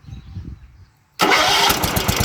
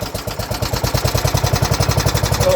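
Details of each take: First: Neglected 1970s John Deere 212 lawn tractor, not run in years, starting after transport: quick crank, fires immediately and settles into a steady, even single-cylinder chug; a clean, healthy start. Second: 1970s John Deere 212 lawn tractor that hadn't run in years fires on sprayed ether: rapid, uneven firing at roughly nine pops a second, running only on starting fluid.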